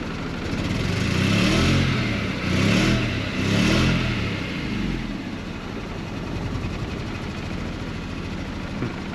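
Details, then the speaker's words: Mercedes W124 220CE surging through throttle blips, then idling roughly and shaking, possibly misfiring; the cause is not pinned down. The owner notes the coil HT leads may be the wrong way round, and the engine then cuts out. Rough running. "it sounds rough if i take my foot off the throttle now oh okay it's idling but really nastily that is nasty idle i can see the engine shaking so i don't know if she's misfiring or what"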